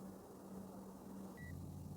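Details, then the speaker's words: Toyota Yaris that previously would not start, checked with a scanner, now cranks and catches after a short chime and settles into a steady idling drone; normal start, no fault found. "तो देख सकते हैं आप गाड़ी तो चालू हो गई है अल्हम्दुलिल्लाह से ठीक है अल्हम्दुलिल्लाह से गाड़ी चालू हो गई तो कोई भी फल्ट नहीं है"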